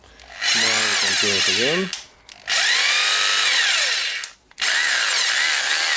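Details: Hitachi (Hikoki) DH22PH hammer drill, reassembled after service and run slowly in drilling and hammering mode: three bursts of high motor whine with an even hammering rattle, spinning up and down smoothly without grinding. It runs healthy.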